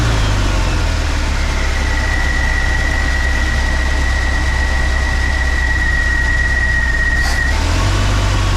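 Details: 1968 Oldsmobile Delmont V8, idling with a low steady burble and faint thin tone while fuel begins drawing through the filter from the tank; even idle, normal.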